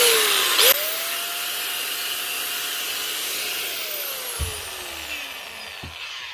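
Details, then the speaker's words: Bosch GWS 880 angle grinder, wire wheel removed, from a fishing-boat repair box: high whine holds a steady pitch, then winds smoothly down as the motor coasts off, no grinding or rattle. Running fine. "It sounds all right. It looks even better. Yeah, that's all right there."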